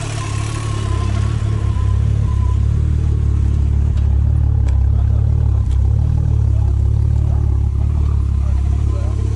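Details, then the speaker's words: Golf 3 VR6 turbo, nearly 500 hp, first start and test run with the turbo at about 150 degrees maximum temperature: deep, steady, even rumble with no knocks, misses or rattles; idling smooth and healthy. "Ist gut, so laufen beide. Ass rein. Klingt gesund."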